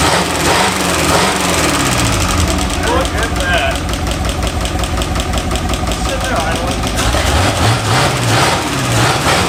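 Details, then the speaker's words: 1952 Buick Super straight-eight after 40+ years sitting, idling: low, steady, even beat on all eight cylinders with no misses or knocks, smooth as if shut off yesterday; normal idle before coolant and oil change. "Look how smooth it runs evenly on all eight. That's crazy. Like we shut her off yesterday."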